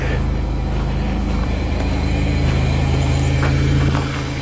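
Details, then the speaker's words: 1998 Chevrolet Lumina LTZ that sat about three years, first start without touching the gas: loud, steady low rumble with even exhaust pulse, no misses, knocks or smoke; normal running. "oh my god first try i didn't touch the gas motor sounds perfect wow no smoke"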